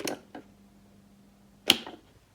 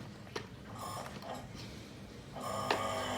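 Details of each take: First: Seized 230 V single-phase AC three-wire motor driving a diesel/fuel-oil pump, left idle about two years: switch clicks, low steady growling hum for about 1.5 s without turning, then cut off to avoid burning the motor. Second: 230V single-phase three-wire AC motor of a diesel/water pump, idle for about two years, test-run open after disassembly and cleaning: handling clicks, then a steady even hum and light whir with no grinding. It runs normally.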